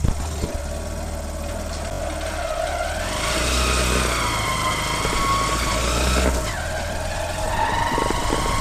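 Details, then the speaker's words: Hero Shine motorcycle with rebuilt engine: idles then revs and drops back with irregular rattly crack-like crackle following rpm; worn primary gear. "अब हम इसको चला के दिखाई हैं की इसमें प्राइमरी गियर का साउंड कैसा है वो भी आपको दिखता है"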